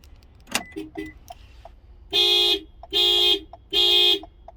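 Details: 2020 Toyota RAV4 with key programmed via Anytoyo SK1 smart key emulator: after key clicks, three loud even horn blasts about a second apart; remote panic function working properly.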